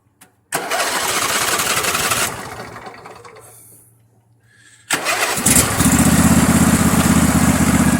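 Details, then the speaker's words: Poulan riding mower started two days earlier, deck works, charging system not working: brief crank, a pause, then it catches quickly and settles into a strong, even run; a good running mower. "I just started this one 2 days ago. This is a good running mower right here."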